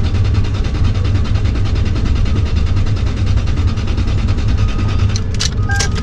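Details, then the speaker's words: 2001 Lexus LS430 (200k miles), non-runner at auction: a jump pack drives an even, rapid crank for several seconds but the engine never fires; no fuel pump is heard priming. Cause unconfirmed. The attempt drained the booster pack. "nope all right that ain't gonna work so bit accordingly non-runner"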